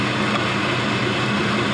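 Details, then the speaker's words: 5.3L Gen 3 LM7 V8 with 180k miles, LS7 lifters, new Melling oil pump and MLS head gaskets, near-cold start on a 104°F day with about 42 psi oil pressure: smooth, quiet, even idle with no ticks, knocks or misses; normal. "We're going to run this up to temperature, so we'll cap that off. But as you can see, it runs very smooth, very quiet."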